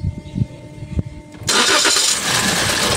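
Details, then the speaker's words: 2023 Toyota Veloz automatic, crank-no-start after ECU communication fault and crank sensor cleaned: starter churns then rough surge trying to catch but never running; weak fuel found. "Ayan oh umandar na siya kasi may ano kanina puro ano lang puro redondo ngayon. Parang aandar siya. Pero ayaw pa rin tumuloy."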